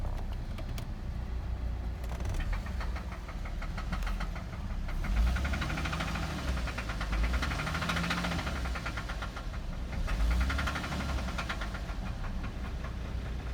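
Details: 2008 Cadillac CTS started 5/26/2019: steady idle with a light, fairly quick ticking knock around three or four per second over the engine note; engine knock of unknown origin.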